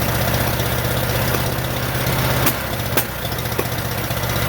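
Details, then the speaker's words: Rebuilt 1947 Farmall M tractor after first start, plug wires flipped: rough lumpy idle with popping out of the carburetor, no power, running on only two cylinders. "also a lot of popping coming out of the carburetor if you can see it also doesn't have any power because it seems to be running on only two cylinders"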